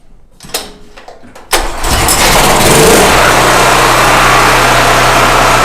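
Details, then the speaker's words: Generator after carburetor cleaning and new gasket, fresh gas replacing old fuel: catches after a couple of pulls and settles into a steady even run with no hunting or misses; runs perfectly and powers a drill. "fingers oh man you couldn't ask for that thing to run any better than that well it should the carburetor is absolutely spotless and it's got fresh gas in it"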